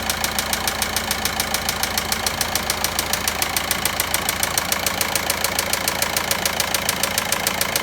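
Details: VW Passat 1.9 engine at idle: a sharp, very regular ticking knock at roughly three and a half per second stands out over the idle; cause unknown.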